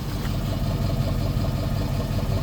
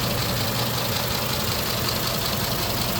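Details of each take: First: 2010 Ford F250 XL utility bed truck, idling over 40 minutes, listened at the exhaust: steady, even low rumble, no puffing, misses or knocks; idling good, though a faint noise possibly from lack of lubrication was noted. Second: 2010 Ford F250 XL idling after 40+ minutes: loud, clattery, diesel-like knock about 160 a minute, louder than normal, no smoke and it drives; seller suspects lack of lubrication or need for an oil change.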